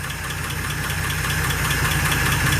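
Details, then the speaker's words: 1948 Pontiac Torpedo flathead six at idle while warming up, coolant around 135–170: even steady idle with a light, quick, regular tick on top; source still unknown. "it's not perfect if that tick comes through you'll see that's something we still gotta try to figure out"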